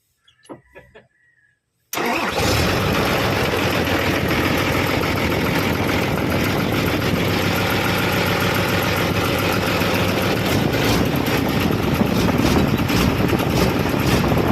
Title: isuzu 6hk1 cranking no start